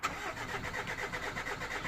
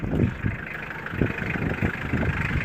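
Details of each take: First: 2000 Mitsubishi Pajero 2.5 litre, crank no start: starter turns the engine over in an even rhythmic churn but it never catches. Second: 2000 Mitsubishi Pajero 2.5-litre diesel, crank-no-start, running on a temporary fuel feed: settles into a steady idle with a light, loose clatter, no stumbling or hunting; the fault is a suspected blocked tank or fuel pipe.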